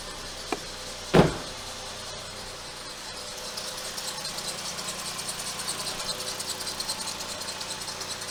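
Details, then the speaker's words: Mk5 VW Rabbit 2.5L 07K at idle, mic near serpentine belt: quick repeating chirp around five or six a second, faster with revs, slower at idle; failed serpentine idler pulley. "if you rev up squeaks more rapidly if you let it go to idle it squeaks more slowly and basically I'll that tells me that it's something to do with the engine probably something to do with the serpentine belt"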